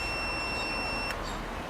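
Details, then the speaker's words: Milwaukee M18 JS2000 Hot Shot jump starter charging a weak 12 V car battery at up to 15 V: steady high-pitched beep for about a second, then drops out; warning it is running and about to cut out. "So, it's constantly beeping, letting you know it's running and about to cut out."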